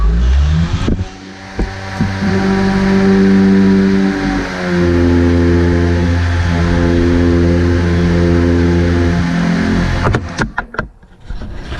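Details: Kobalt KM 2040 battery lawn mower after full motor disassembly and repair: steady low electric hum with even tones for about nine seconds, no rubbing or catching, then stops; motor running freely.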